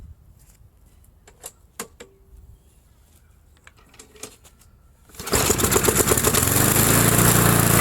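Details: Briggs & Stratton mower that sat a long time, started after priming with fuel, spark plug cross-threaded: scattered clicks and handling, then the engine fires and holds a steady, even buzz; running normally now.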